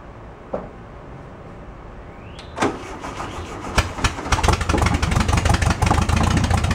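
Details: VW bus left 31 years in a field, with its original carburetor refitted, priming squirts and the choke about halfway on: a few clicks, the starter turns, it catches near four seconds and settles into a steady, slightly uneven beat.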